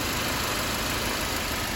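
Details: Mercedes-Benz C250 after turbo removal/rebuild for massive oil leak (earlier misfire, water in cylinders fixed): steady, even idle with no misses, knocks or surges over hissy background; cooling properly, no leak so far, healthy.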